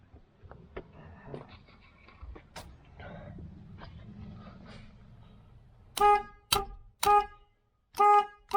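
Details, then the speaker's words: 1968 Chevelle Nomad, one horn wired to power and ground (car should have two): five short, loud, steady blasts at one clear pitch; single horn working properly. "That's just one. It's supposed to have 2."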